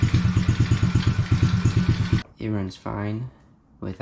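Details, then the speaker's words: Coolster 110cc quad, sat two years, off choke and warming up: steady single-cylinder putter about three beats a second, even and unfaltering before cutting off; running fine. "it takes a little bit to warm up but now I'm going to take it on a little test ride real quick"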